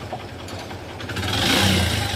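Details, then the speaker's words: Hero Passion XPro motorcycle with white smoke and pickup problem, started standing in neutral and revved from idle: loose mechanical clatter from piston slap and timing chain rattle; engine to be opened to check. "यहां पर दोस्तों piston की आवाज़ timing change की आवाज़ भी है इसके अंदर"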